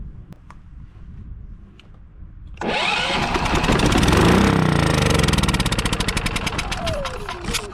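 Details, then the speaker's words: Westinghouse iGen4500DF inverter generator, stored almost a year, started on starting fluid sprayed into the air intake. It catches after a quiet pause, then runs loud and ragged, settling into uneven chuffing about four times a second. Owner suspects old fuel. "man that's an awful noise isn't it well she runs which tells me that uh the issue is probably in the fuel"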